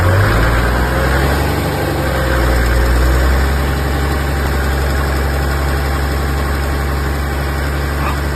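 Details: 1HDT diesel, jacked up, in gear at 1400-1600rpm with brake load, warm (only after 2+ min driving): metallic tick about four a second under load despite new big-end bearing, loose tappets, even 480psi compression; pump and injectors being rebuilt.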